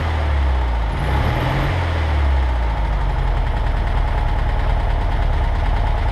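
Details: 1963 Volkswagen Karmann Ghia air-cooled engine running for the first time in over 10 years after replacing varnished fuel line parts: deep, even thrum with no misses, knocks or rattles; normal running.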